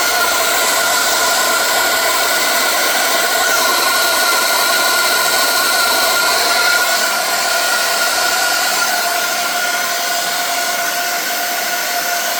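A loud, steady rushing hiss with a high whistle riding on top and almost no low end. It sounds like steam escaping somewhere on the boiler.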